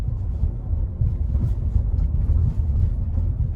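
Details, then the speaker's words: Nissan Kait Exclusive 1.6 CVT over a speed bump, heard from inside the cabin: dull low thumps over steady road rumble, with a bag also rustling; suspension impacts are poorly isolated from the cabin. "Então precisaria ter um acústica melhor da suspensão. Você escuta tum tum tum tum tum, você escuta assim, né?"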